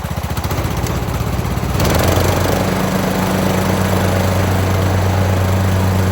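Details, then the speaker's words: Craftsman YT3000 riding mower with donor replacement engine, after oil change with mowing deck remounted, blades engaged, test run; steady even run, constant pitch, no knocks or misses, transmission solid, normal running. "right, well, it seems like it's running pretty well. Blades engage, transmission feels nice and solid on here."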